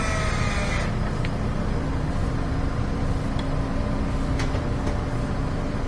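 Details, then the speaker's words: Maytag electric dryer that wouldn't start, running with the vent checked: steady, even rush of air with a low hum and no rattles or flutter; good air volume from the vent, no clog found. "That's a good volume of air coming out, so I don't think there's any clog in there. It's pretty good."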